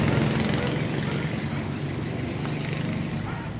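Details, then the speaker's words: Diesel dump truck that won't start: starter drags the engine over slowly and laboriously, about three heavy turns a second, despite a freshly charged, tested battery; starter first suspected. "talagang hirap na hirap umandar o bagong charge ang battery pina testing ko eh Hirap na hirap"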